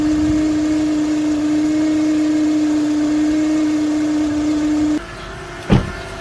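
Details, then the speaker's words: Car alternator with damaged diodes in the diode plate: a steady mid-pitched whine holds for about five seconds, then cuts out; a shorted diode can also drain the battery while the car is off. "Cuando los diodos están dañados podría escucharse un ruido o observarse así."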